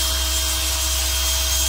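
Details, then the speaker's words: Locksmith mortice drill template kit, drilling through a lock's hardened plate with pressure on the back of the drill: steady high drill whine over gritty metal cut at even pitch; cutting cleanly. "Did you hear the change? Yeah, that's the sound of changing."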